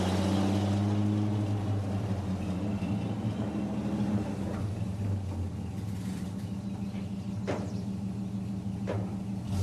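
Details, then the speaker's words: 1952 REO M-35 truck, REO 331 CI gasoline inline six, after cylinder head replacement: steady deep idle much smoother but still slightly uneven; fuel pump still needs fixing. "you can hear that the truck is running much smoother but it's still not a hundred percent"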